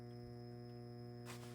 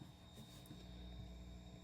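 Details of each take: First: 6J1 tube preamp kit powered by a 12 V 1000 mA wall-wart supply (actually about 16 V) through a voltage regulator: steady low, buzzy 120 Hz ripple hum at constant pitch when the amp is turned up, despite the supply's filtering. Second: 6J1 tube preamp kit with a capacitor-multiplier supply and a 56 V buck converter for the tubes, heaters at 12.6 V. With volume fully up, only a very faint low hum and light hiss: 120 Hz ripple well filtered.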